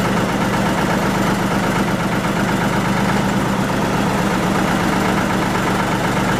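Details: 1940 Lister JP3 diesel single-phase 230 V generator test run after water pump rebuild, top radiator hose weeping: steady, even chug at governed constant speed, no knocks or misses; normal running.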